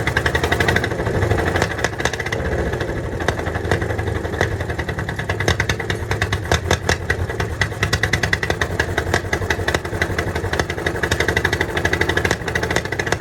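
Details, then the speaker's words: 1951 Caterpillar D8 2U dozer, sitting since 1990, big diesel freed after being stuck, first start on its own power: loose, slightly uneven popping exhaust beat over a low rumble, engine keeps running. Normal running. "all right that's the first start since they're pretty sure it's been like 1990 was the last time it runs so that was a major achievement there to get it running on its own power"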